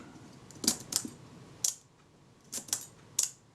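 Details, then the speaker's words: Kodak Retina IIIc shutter at 1/8 s after reassembly: pairs of crisp open-close clicks a fraction of a second apart, very slightly fast; adjustment planned, then shutter speed tester check. "very slightly fast, I would say. I will make an adjustment and I'll test this on the shutter speed tester and see where we are. It's just very slightly fast."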